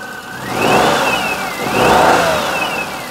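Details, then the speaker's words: 2004 Perodua Kenari after a timing belt change, with only the alternator belt fitted and the power steering belt off: two smooth rev blips back to an even idle with no squeal. "we still haven't got the power steering belt on this is just the alternator [Applause] belt sounds nice and peaceful"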